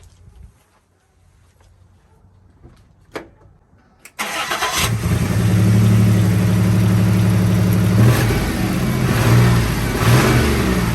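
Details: 1995 Toyota 4Runner 3.0 V6 that shook violently from a misfire, with slight belt squeak and exhaust leak; fuel ruled out, spark suspected. Engine cranks, catches and idles with an uneven loping beat, one cylinder dead from an open spark plug wire.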